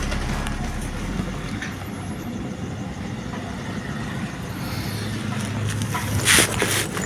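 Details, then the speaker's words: Vespa two-stroke converted from points (platina) ignition to CDI without changing the stator or flywheel fan, running before the key-switch wire is connected: steady even putter at constant idle, no misses or surging; normal idle. "Nah ini motor udah nyala ya, nanti kita coba sambung kabel kontaknya ya, untuk memastikan apakah benar ini kontak atau bukan ya."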